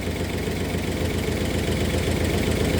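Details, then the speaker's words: 1964 Oldsmobile 394 V8 at idle, warming up: a slight tick at first, then after several minutes a dull, regular knock on the firing beat that grows from quiet to very audible; exhaust leak present, cause not yet found. "when it goes it's a knock you can hear it you can hear it develop it starts from quiet and then quickly gets louder and louder and louder till it becomes a very audible knock knock knock knock"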